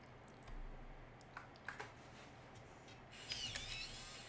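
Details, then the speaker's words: Serviced Macintosh floppy drive in an LC475: quiet soft clicks of the head stepping, then a brief buzzy whirr as the disk spins; reads normally after repair, eject gears not replaced. "perfect that sounds great all right well very good two drives fixed"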